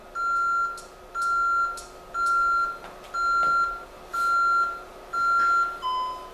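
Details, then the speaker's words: Honeywell Vista security panel controlled through an app keypad: steady status beeps once a second while arming away, then a shorter, lower tone on disarming; normal operation. "so right now we're going to arm the panel I on the two away and you can actually hear the panel beeping status updates go on the screen right now in itself and it's something that it's arming and that's do a quick disarm"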